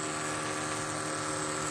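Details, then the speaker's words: 1980 Trans Am nitrous system: electric fuel pump, even constant high buzz, no surging or rattle, after remounting it the correct way (it had been backwards); pressure holds 9–10 psi while deadheaded, backflowing excess fuel. Healthy. "So yeah, that pump's supposed to be able to deadhead. It backflows the fuel that it can't pump through."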